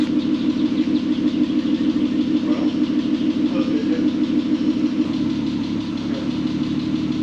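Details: VW R32 first start after 10 years sitting and a correctly redone timing chain: even, smooth idle pulsing about three times a second, no knocks, though a slight ticking is mentioned as possibly needing adjustment; normal idle.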